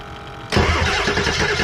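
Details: Ford 7.3 diesel parts truck that got no fuel at first, cranked with the fuel pump jumpered and a replacement radiator fitted: starter catches and it fires within half a second into a heavy, lumpy clatter; too brief to judge idle.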